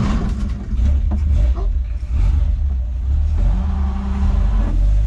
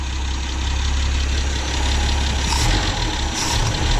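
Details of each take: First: 1963 Ford Falcon Ranchero ute abandoned for years in a wrecking yard. Engine stumbles and bogs as the throttle opens, revs sag unevenly and nearly stall. Running lean, possibly a vacuum leak or a badly blocked carburetor idle circuit. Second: 1963 Ford Falcon (XL) Ranchero ute left for years in a wrecking yard, running off a fuel pump: low, even idle rumble held steady with no misses or knocks. Normal idle, running well until it runs out of fuel.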